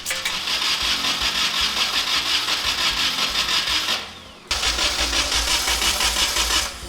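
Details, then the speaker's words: Nissan 240SX project car with unknown engine history: starter churns steadily at about three turns a second with no catch or firing; no-start because no spark, no power reaching the coil pack. "Not getting spark. I'm not seeing any power actually come into the coil pack."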